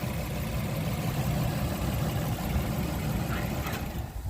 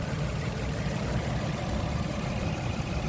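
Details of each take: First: 2003–2009 Toyota Sienna V6, not charging, idling with battery negative removed after cap bridging a broken main fuse is pulled; steady idle about four seconds then engine stalls, broken main fuse cutting alternator charge. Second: 2003–2009 Toyota Sienna V6 at idle with a broken main fuse temporarily bridged by a bottle cap: a steady, even low rumble with no stumbles. The engine keeps running with the battery negative removed, showing the alternator is charging.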